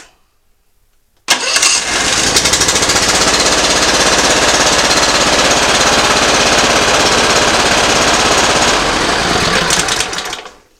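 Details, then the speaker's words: Simplicity ZT2500 zero-turn mower, Briggs & Stratton Professional 724cc 24HP V-twin, pulling plug wires one at a time: runs fast and busy then dies; one cylinder dead, bad coil or plug suspected. "on that one it's firing good and it killed the engine so most likely we got an issue over here it caused it a nut fire it's not getting gas on this side so we'll start it back up pull this wire off as you can tell that did not make a difference on it so we either got a dead plug or the coils bad"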